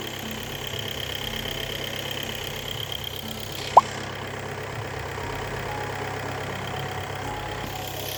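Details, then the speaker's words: VW Passat B8 2.0 TDI EA288 (DFGA) diesel after repair, end of bleeding test run (2,500 then 3,000 rpm) settling to normal idle around 1,000 rpm; quiet, steady low rumble, no knocking or hunting. "And finally, test ends at normal idle RPM."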